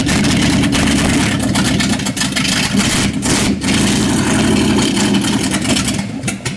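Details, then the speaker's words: 1955 Chevrolet truck V8: loud, uneven lumpy stumbling beat with surging revs; timing being adjusted, distributor hold-down binding, carburetor suspected of trash from years-old bad gas. "I mean, it's closed cuz it's running, but act like the collar bird's got trash in it. It might have sit up for years with some bad gas."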